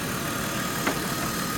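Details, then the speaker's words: BMW E39 after thermostat and water pump replacement, idling about 15 minutes with no overheating: an even idle hum with a faint steady whine on top and no knocking or stumbling. Normal idle. "okay backs it up so far things sounds good"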